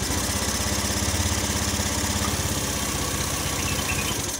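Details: Honda Scoopy FI scooter after fitting a good battery, fault traced to CKP, charging 14–14.5 V at idle: the single cylinder putters at a steady, even idle with a regular beat and no knocks or misses; normal idle.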